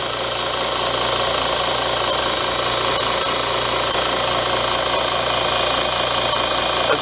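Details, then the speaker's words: Bench grinder just mounted to a small work table, first run: even, steady hum with no wobble, thumping or rattle, and little vibration felt; normal running. "Here we go. Ready? Wow, I don't really feel any vibration."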